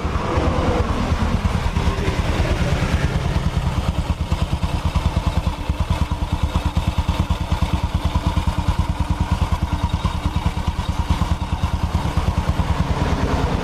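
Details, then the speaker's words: Honda Supra X 125 single-cylinder after engine rebuild, idling right after a hard full-throttle test ride; regular even putter about three beats a second, no clatter or misses; normal idle. "tuh ini kondisi mesinnya habis kita berserat berserat pun masih tetap halus ya toh kita teman-teman dengarkan"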